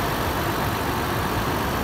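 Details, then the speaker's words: 2011 Toyota Land Cruiser Prado VX, automatic, engine bay at idle: smooth steady even hum with no knocks, ticks or misses; very clean, very quiet, healthy normal idle. "alright let's make our way to the engine bay now as you can see and here it's very clean very quiet and very neat"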